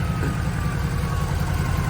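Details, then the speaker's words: Duramax diesel truck after engine rebuild with head gaskets replaced, fitted with 5-inch exhaust. Deep, even rumble with smooth, regular exhaust pulse, no knocks or misses: normal healthy idle after repair. "That 5-inch exhaust sounds awesome on there. Man, doesn't that sound awesome?"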